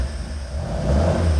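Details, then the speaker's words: Mk1 Ford Escort, freshly built high-compression 1700cc Ford Crossflow with Jenvey throttle bodies and Emerald K6 ECU, first start from freezing cold at about 30° ambient: clean blip with a deep, smooth rev rise, no knocks or misses; healthy cold rev. "Fires up, guys. No That is freezing cold. Haven't fired that up yet."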